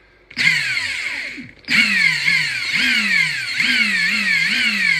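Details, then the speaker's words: Battery Ingersoll Rand impact gun after maintenance; before it sounded funny and mechanical and kept spinning after trigger release: now smooth, with the motor winding up and hammering in even, clean surges and no dry rattle; normal run. "It definitely sounds different now that I did that. It used to sound like there was a lot of mechanical stuff going on. Now it sounds like there's a lot of smoothness in there."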